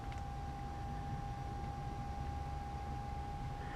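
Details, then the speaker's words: Steady thin single-pitch hum from the small cooling fans on the back of CREE LED headlight bulbs in a Ford Ranger, high beams on, vehicle stationary; normal LED headlight cooling fan hum. "I hope you guys are picking that up but those are the fans on the back of the LEDs making a humming noise"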